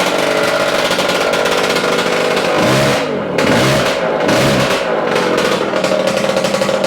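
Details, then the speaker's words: Yamaha AT-2 MX 125 two-stroke that won't rev past 2000 rpm, running slightly rich, after rewiring: held at mid revs, uneven and stuttering with ragged dips; better but still breaking up. Owner suspects ignition. "thank you so it's better but still not right"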